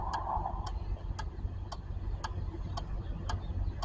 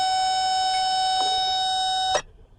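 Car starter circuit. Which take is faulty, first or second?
second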